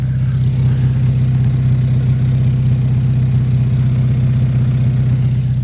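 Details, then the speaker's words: Acura RSX Type-S idling after a new header install, with the header gasket missing. A low, rapid puffing pulse of about four a second comes from an exhaust leak at the pipe joint underneath. "you guys can probably hear the little exhaust leak it's coming from where that that pipe is right underneath there"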